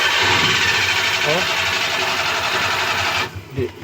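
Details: Suzuki F6A electronic fuel injection engine with hard starting and low power: quick, even starter churning about four beats a second, but the engine never catches.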